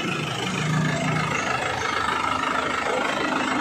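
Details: 2011 Panther LM diesel idling after DIY purging of injectors and injection pump: steady, even clatter with no knocks or misses, running smoothly and healthy, exhaust smoke reduced.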